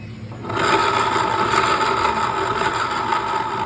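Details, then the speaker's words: Scooter rear wheel spun by hand: dry, scraping rotational whir with a steady tone near 1 kHz from a worn CVT torque drive bearing that needs replacing. "Pag ganitong ingay, pag inikot ang gulong ng inyong scooter, torque drive bearing yung kailangang palitan niyan."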